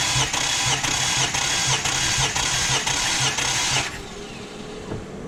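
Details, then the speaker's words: Infiniti G35 VQ35 compression test with fuel relay pulled: steady, even starter cranking at about two pulses a second with no drag, then stops; cylinder read about 130 psi, low end of the 130–185 psi spec, checking head gasket or rings. "So before you crank it, you want to make sure you pull your fuel relay on these cars."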